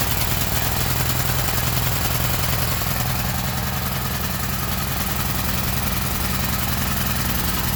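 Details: Gasoline generator's small single-cylinder engine gives an even, steady low thrum, holding speed without misses; running normally.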